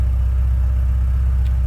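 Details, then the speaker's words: 1986 Porsche 944 Coupe idling, heard from the rear with stock exhaust. Deep, smooth idle burble with steady even pulse and no misses; sounds stock and healthy, as if off the showroom floor. "Sounds like you'd expect to sound right off the showroom floor. Very stock sounding, no crazy exhaust."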